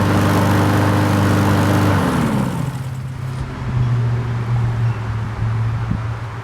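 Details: 4-stroke carbureted lawn mower, hot-soaked after Sea Foam fuel treatment and intake spray cleaning, run briefly: the small single gives a steady, even drone, then shuts off and winds down; no stumbling or surging.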